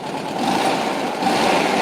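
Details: Air-cooled car idling after a cold start, with fuel dripping from an old fuel line: a steady, even hum with light busy chatter and no knocks or misses; a great little runner.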